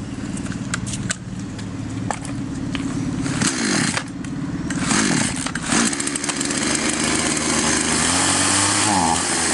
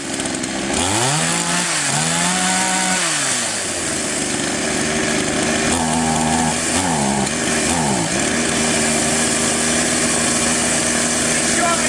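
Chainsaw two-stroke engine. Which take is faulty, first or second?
first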